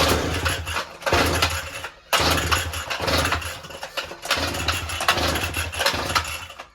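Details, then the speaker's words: Brush cutter/grass cutter with a week-long starting problem: repeated pull-start bursts where the small engine catches briefly then dies, about three tries; won't keep running, cause not confirmed. "ഇത് ഒരാഴ്ച ആയിട്ട് ഇതിന്റെ പ്രശ്നം ഇതാണ് അപ്പൊ അത് കാണിച്ചു തരാൻ വേണ്ടിയിട്ടാണ് അപ്പൊ നിങ്ങൾക്ക് ഇനി വീഡിയോ എടുക്കാം"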